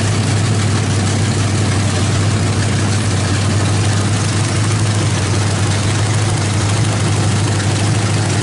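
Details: Freshly built 350 V8 with Thumper cam, open headers, first start after priming: loud deep even rumble, steady beat, no knocks or misses; sounds great, timing may need slight adjustment.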